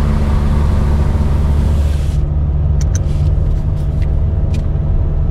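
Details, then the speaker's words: Peugeot 605 bought cheap and running on old fuel, heard while driving. A loud, deep droning rumble points to an exhaust leak. Some possible pinking was also noted, perhaps from the fuel quality. "On entend bien l'échappement, comme vous pouvez le remarquer."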